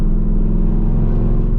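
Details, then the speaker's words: 2010 Camaro SS driving around 40 mph under load: deep steady droning rumble and aggressive shaking; motor mounts doubted, loose transmission bolt suspected. "All right, so we don't even have to get on the highway to start noticing what the problem is. After or around 40 mph, when I give it some load,"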